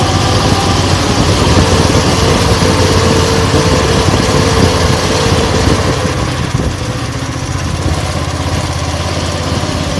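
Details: 170F single-cylinder engine after the crankshaft and connecting rod were replaced: steady, even beat at about 200 per minute with no knock or clatter. The knock is gone and the engine runs healthy.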